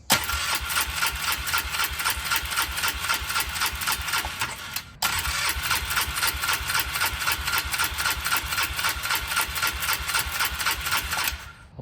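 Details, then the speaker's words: 2004 Polaris Trail Boss 325 four-stroke parked 12 years, uncleaned carburetor with fuel now flowing from the line: steady starter cranking in two long tries with no firing. Suspected old-fuel varnish clogging the jets, a guess. "If I had to guess, I would say it's got a carburetor that's been holding old fuel for 10 plus years. That's just a guess. I don't think you're getting any fuel through probably the jets."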